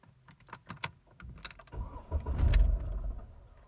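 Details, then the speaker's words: Jeep Renegade, first start of the morning: keys rattle, then a brief low cranking rumble fades without catching; the engine fails on the first attempt and starts on the second. "Na segunda vez ligou. A primeira partida não tá ligando, já é a segunda vez."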